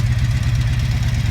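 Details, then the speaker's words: 1983 Honda V45 Sabre VF750S motorcycle at idle: steady idle with a fast light even top-end tick, higher than owner's 1982 Magna; owner suspects a valve adjustment is needed, not confirmed. "tick sounds a little higher than my 82 magnus so maybe i need to do a valve adjustment let me know if it sounds like that in the comments"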